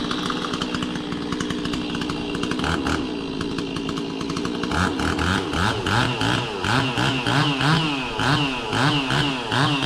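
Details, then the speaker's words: Stihl 026 two-stroke chainsaw revving while cutting pecan in snow: idles down slowly and is a little sluggish on throttle-up at first, wavering and dipping as the trigger comes on; owner unsure of the tune, cause unknown. "kind of idles down slow, and it also throttles up just a little bit sluggish right in the beginning."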